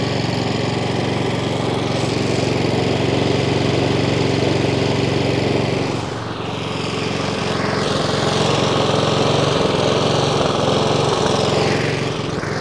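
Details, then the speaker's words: Three-week-old Honda Izy mower (GCV145X engine, auto choke), used only twice. It runs steadily, then after a minute or two sags and picks back up every few seconds; hunting, fixed by carb service. "so she did fire up and showed me what it was doing after a minute or two it does start hunting surging"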